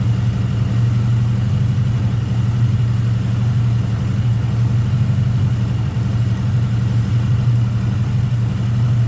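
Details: 1979 Honda GL1000 Gold Wing flat-four after valve seal replacement to cure excessive smoking; deep, even, steady idle with no stumbles, rattles or ticking; running cleanly, normal idle.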